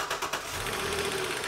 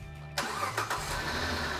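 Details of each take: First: Hot petrol engine with accessory drive belt removed: quick sharp knocking ticking over steady engine note, ruling out alternator and front accessories; knock suspected in upper engine, upper plenum and valve cover to come off; not confirmed. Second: Charger engine after knocking was fixed by replacing a tensioner; short crank, catches cleanly and settles into a smooth, even idle with no tapping or knock; normal start and idle.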